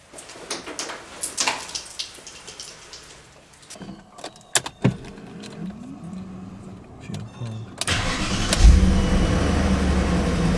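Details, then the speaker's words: BMW E39 M5 cold start on an early spring morning. It cranks and catches, then a fast light ticking rides over the cold idle; a hydraulic lifter clatters until oil pressure builds and is expected to settle within a minute. "tick tick tick tick that's the lifter it'll be fine in a minute"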